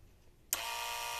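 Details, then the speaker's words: Renault 21 ABS system, jumper placed between terminals 1 and 4 to trigger pump power relay 301: a sharp click, then the electric ABS pump starts at once with a steady, high whirring hum; control and power circuits work. "Et là, on entend que la pompe se met en route toute seule. Donc c'est magnifique."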